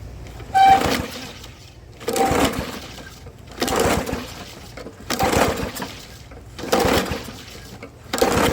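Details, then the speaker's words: Old lawnmower, starting fluid sprayed in intake: recoil pulls every second and a half spin the engine briefly but it never catches; no spark because the bent spark plug end touches the electrode with no gap. "Well, there's your spark plug, and I don't know if you can see that in the camera, but your end is touching the electrode."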